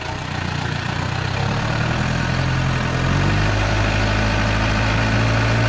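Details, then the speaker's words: 1958 Toyota Bandeirante diesel after full transmission service, climbing a slope in 4x4 under load: smooth even drone with no clunks or whine; drivetrain and four-wheel drive healthy. "vocês perceberam que nos falou nada não fez barulho foi voltou beleza"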